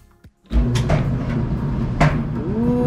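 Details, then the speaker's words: Kenmore 70 series front-load dryer after belt replacement, drum had stopped spinning: low steady rumble starting up and settling with a faint rising hum, smooth even drum rotation, no scraping; normal running. "sounds like it's working and it is that is awesome"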